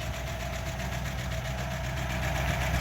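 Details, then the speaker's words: 1936 Buick Century 320ci straight-eight idling after exhaust manifold leak repair and a drive around the block: a smooth, low, even rumble with no puffing or ticking from the manifold; healthy idle, no exhaust leak. "Exhaust leaks are fixed. At least for now, until I do the rest of the exhaust. Just took it for a spin around the block. Ran great. Sounded great."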